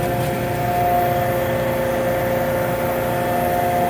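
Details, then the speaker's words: Transfer pump moving waste motor oil for a LANAIR MXD300 oil furnace, suction line just swapped: steady motor hum with thin high whine and no fluid sound, running dry before self-priming. "Alright, we're gonna turn it on and let's see what happens. Alright, let's see if we get any fluid coming or no, nothing is showing."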